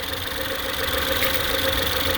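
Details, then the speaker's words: Ford Escape 1.6 four-cylinder idling with an uneven, stumbling beat and a popping "bap bap" from the exhaust; one cylinder is dead and misfiring, with a strong shake and no fuel smell at the tailpipe. "صوت زي فرقعه، مش فرقعه يعني تفويته، بب بب بب بب بب. يعني معنى كده ان في سلندر اوريدي ميت، يبقى انا عندي دلوقتي سلندر ميت."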